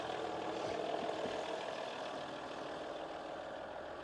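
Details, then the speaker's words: 2017 RAM 1500 3.0L V6 EcoDiesel, stock exhaust, idling: soft even diesel idle with steady hum and no knock or rattle; very quiet and healthy. "It sounds great. I don't care what people say. I think for a V6 diesel, it sounds really good."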